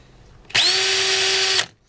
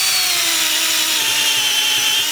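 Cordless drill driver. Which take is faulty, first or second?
second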